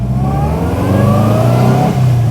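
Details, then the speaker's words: Subaru MV284/Brumby/BRAT pickup with an old pushrod flat-four, pulling away in front-wheel drive. The engine rises smoothly in pitch with a light, rattly top-end valve chatter, which is normal for the pushrod engine. "It makes silly Subaru noises, but with the valve chatter, you just don't get in the overhead cam versions."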